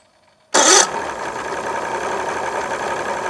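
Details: 2001 Mercury 200 hp EFI outboard on a ProCraft fish and ski, won't exceed 7 MPH under load; catches with a sharp burst, then rough, ragged idle during fuel pressure check (about 35 psi at VST).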